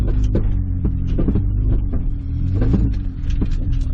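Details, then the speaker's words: 1998 Honda CR-V: low throbbing groan pulsing two to three times a second only when turning left or right, quiet going straight; owner blames bad differential and plans transmission replacement. "the differential is bad and when it's going straight it's beautiful as soon as you turn it to the right or left you hear that right there you hear the head so i need to get a new transmission simple as that"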